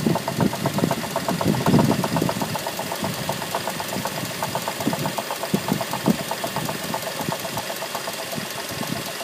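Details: 2006 Mazda 3 petrol engine idling with a fast, steady knocking tap through the running sound.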